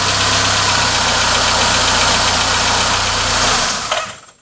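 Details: 2005 Peugeot 206 1.1 TU petrol engine after replacing failed injector number 3: even idle with steady low hum and no missed beats, then shuts off.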